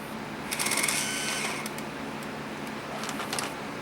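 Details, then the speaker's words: Sony EVS-7000 Hi-8 VCR forced into full fast-forward: high whirring as the transport spins up, a brief rattle and clicks, then drive drops away as the pendulum gear disengages, spilling tape; a gear is cracked. "that's what happens when you try to go into full speed that gear actually the pendulum gear actually disengages and it stops working and then you end up with a massive tape"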